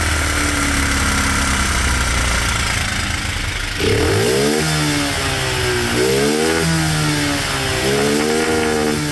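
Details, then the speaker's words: Cheap monkey bike (small single) that still smokes after a new head gasket, with new piston rings and cylinder still to order; carb mixture screw just reset. Steady idle, then three quick blips that return without bogging, very loud; nearly dialed in, needing slight fine tweaking. "Sorry for any headphone users, that was very loud. That seems to be pretty good, a little bit more fine tweaking, and I'll be able to get it pretty bang on."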